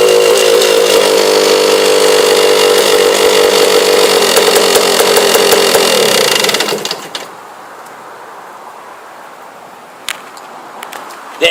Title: Trx250r engine noise